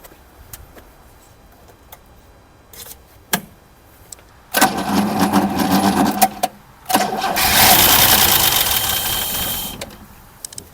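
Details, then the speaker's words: 1979 Opel Commodore C parked 15 years, running on fuel mixed with air: after some clicks it catches in two short rough bursts, then dies. It has compression and spark. Engine briefly firing. "it works it has compression it has spark and it works it starts"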